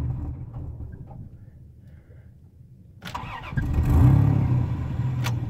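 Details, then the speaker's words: 1996 Dodge Dakota 3.9 V6, 4-speed automatic, 4WD, hard starting without throttle even after cleaning the IAC and MAP sensor: after a rev it settles into an idle with a faint uneven lope; rough idle, cause unknown. "I came off the gas and I'll just punch it and see the state tell me why it's rough idling rough doesn't want to start on its home"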